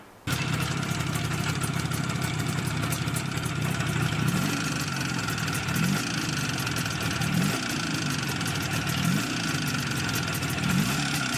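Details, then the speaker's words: Izh Jupiter 5 two-stroke twin with balanced engine and factory Izhmash pistons, after 100 km: metallic ringing from the cylinder over steady idle. Piston slap, as the pistons' taper exceeded the repair size. "так как через сто километров пробега из поршневой раздался пренеприятнейший звон который присущ практически все мы же и раком в достаточно большим пробегом напомню как это звучало"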